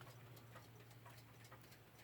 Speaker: And that is the ticking bit. And that literally just pushes a bit of thin metal into this notched little bit here. which produces a ticking noise.